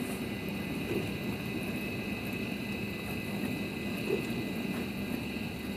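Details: Midea dishwasher, final test on 29-minute quick program after repair of a stuck wash motor (error E15); steady, even wash-cycle rumble with faint constant hum, no knocks, grinding or squeals, running normally.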